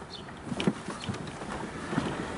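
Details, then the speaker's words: 1999 Intrepid/Concord driven over potholes after replacing sway bar bushings: dull road thumps and wind, no front-end clunk or rattle; new sway bar bushings fixed the thumping. "Oh yeah, nice and solid. That took care of the rattle. So apparently that's what was causing it."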